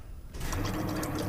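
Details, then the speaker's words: Truck with new fuel pump, previously not getting fuel: low steady hum with gurgling rush of liquid as key cycles; pump primes and pushes fuel through line, possibly low on gas. "okay go ahead and turn it off all right so it's working"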